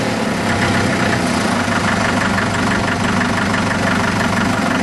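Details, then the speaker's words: Restored Farmall Super MTA diesel tractor, rear engine seal replaced, heard from back of tractor: held at raised steady throttle, even unbroken beat, no knocks or misfires. Normal running at raised RPM. "now raise the throttle up raise the RPMs a little bit so you can hear it running from this"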